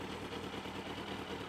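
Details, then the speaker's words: Yamaha FZS600 Fazer four-cylinder, already warm, no choke, in neutral, idle turned up because it tried to cut out: even, steady idle around 1,000 rpm with a light clattery mechanical sound typical of these engines, no misses; normal idle. "It's sitting there nicely around the uh the 1,00 mark. I did uh turn the idle up a little bit cuz it was trying to cut out."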